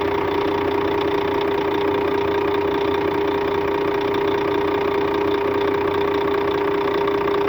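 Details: Scania K400 bus, DC13 13-litre 400 hp (at 1900 rpm) diesel at normal operating temperature, customer-reported strange noise: steady idle with a sharp constant whine and light rapid tapping; abnormal engine noise, cause not pinned down.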